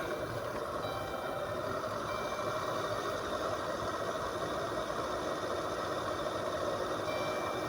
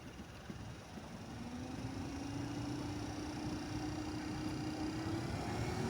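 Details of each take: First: 2012 Chrysler Town and Country front blower motor, louder with glove box open at low speed: constant low rumbling growl under the airflow; suspected dried-out bearings, motor being replaced. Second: 2012 Chrysler Town and Country front blower motor just replaced, tested before reassembly; old motor growled with a low-pitched bearing grind; new one is a smooth quiet hum climbing gently in pitch as it spins up, no growl or grind; normal.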